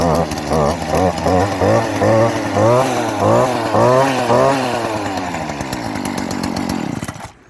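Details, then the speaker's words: STIHL KombiSystem power head recoil starter pulled repeatedly before choking: rising-and-falling strokes about twice a second, clicks at the end of each pull where spring resistance comes; normal. "So it's easier to tell from the sound than the actual motion being made in the video, but there's no resistance for the first part of the spring. It all comes at the very last part of each pull. That's why you kind of hear the clicking sound towards the end."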